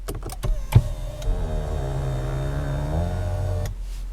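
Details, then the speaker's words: 2007 Lexus ES350 telescoping steering column motor extending/retracting at start or shutoff: about three seconds of low strained groaning/mooing that drifts in pitch, called normal by the manufacturer. "As you can hear, this makes a strange noise, which the manufacturer calls a normal operating characteristic of the vehicle."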